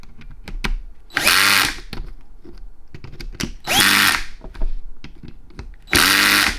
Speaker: And you're going to hear it make a funny sound. It's because the clutch is letting off. It's not an impact gun where it keeps hammering. So when you hear it go blap, that means that it's let off and it's not tightening anymore.